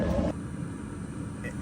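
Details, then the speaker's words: Espar Airtronic S2 D2L diesel heater in a 2019 Sprinter van, lighting after four or five cycles once the fuel line was fixed: brief louder burst, then low even exhaust rumble and blower holding steady; running normally. "we have heat it works so just like uh we had tried initially we let it cycle uh four or five times and we've got heat now you can hear the blower and here the exhaust"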